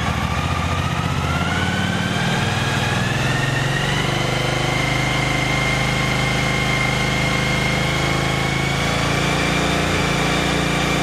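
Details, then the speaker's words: Yamaha T-Max after sitting unused for several days: a thin whistling tone climbs in pitch as revs rise from idle, then holds over the engine; charging reads 13.4 V at idle, peaking at 15.1 V; fuel pump whine. "Mas este barulho da bomba está me chamando a atenção. Conforme você dá giro no motor, esse barulho aumenta um pouco."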